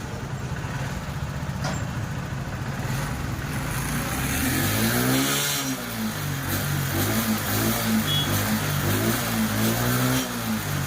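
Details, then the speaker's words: TVS XL100 BS6 moped, complaint of starting but no pickup, after replacing the cylinder head/camshaft set and the ECM: engine revs up and settles cleanly, pitch following the throttle smoothly with strong pickup; normal revving. "சூப்பராக இருக்குது வண்டி பார்த்தீங்கன்னா. இப்போ pickup பார்த்தீங்கன்னா head game shaft நம்ம செட்டாக மாற்றினதுக்கும் இந்த ECM மாற்றினதுக்கும் pickup பார்த்தீங்கன்னா முன்னை விட நல்ல பவராகவே இருக்குது ஃப்ரெண்ட்ஸ் வண்டி."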